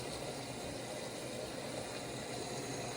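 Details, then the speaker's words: Whirlpool Duet washer WFW9450WW00 after cleaning and securing the loose door lock latch to fix error F15, quick cold wash: steady rushing hiss of water filling the drum, no buzzing or clicking; normal water fill. "Everything worked here. It's filling with water. Well, so far it works."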